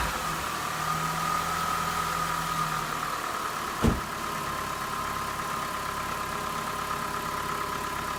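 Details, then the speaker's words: 2004 PT Cruiser, first start after electrical wire splicing, lower intake and fuel rail reinstall and coolant top-up: steady, even idle with constant mid-pitched hum and one brief click; engine runs smoothly and sounds healthy. "There we go, guys. That sounds pretty healthy, so I'd call that a success."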